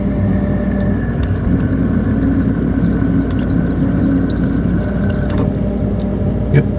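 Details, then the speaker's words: GE ice maker after replacing the faulty internal thermostat: mold rotates, then a steady rushing water hiss over a low hum for the roughly seven-to-eight-second fill, no chatter or buzzing; normal ice maker water fill. "got it set for about seven or eight seconds that's what that control there is for there we go it's filled up"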